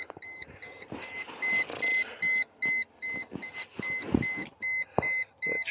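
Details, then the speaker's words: Mercedes C140 with the door open: a steady high chime repeating about two and a half times a second that keeps going; cause unknown. "I still also have this noise which sorry for the beeping like I said it in my ignition video it still does that with the door"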